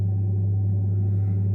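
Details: Saunier Duval gas boiler supplying hot water (shower running) after the pressure switch was replaced: a steady low hum with no clicking, surging or cutting out, and no F2 error for two days; it runs normally.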